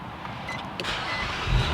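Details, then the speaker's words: Water-damaged Nissan Maxima being rebuilt, with a replacement SRS module fitted: a short crank catches cleanly and settles into a steady, smooth idle with no misses or rattles; the engine starts normally. "There's the power, let's start it. So it started right up."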